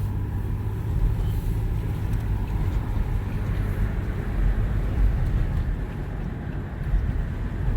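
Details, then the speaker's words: 2006 Toyota Sienna road test after replacing the front struts: steady low road rumble with no clunks or knocks over bumps; the suspension is now quiet. "That's why it was causing that noise. Now it's nice and quiet."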